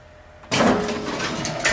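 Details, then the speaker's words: Retrofitted old CNC mill with a Centroid control: after a quiet moment, a smooth, even sliding whir with no grinding or clunks as the tool carousel moves, driven by a motor with a proximity switch and tool counter. "and then we have the actual carousel moving which is all you know got to be done through this motor and a proximity switch and a tool counter"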